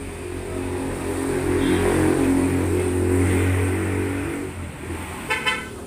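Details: 1997 Toyota Starlet Kapsul (EP81) 1300cc four-cylinder after replacing the racing exhaust with a stock muffler for a quieter sound; revs up smoothly and settles with a soft, mellow note, no raspy drone: normal stock exhaust note.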